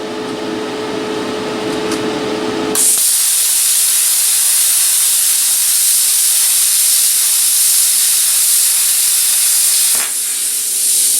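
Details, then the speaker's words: Cheap eBay plasma cutter at mid amperage and 50 psi, cutting aluminum: after a low hum, a loud, steady hiss for about seven seconds, then cutoff. Normal cutting. "all right well it'll cut aluminum that's fine i am butchering it"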